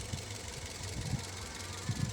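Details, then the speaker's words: Toyota Vios after engine overhaul (oil-starved engine), first start after camshaft reinstalled and timing set: soft steady low hum with faint valve ticking; smooth, quiet normal idle. "I mean, nakasara na yung exhaust. Tahimik na tahimik ah. Parang natsambahan."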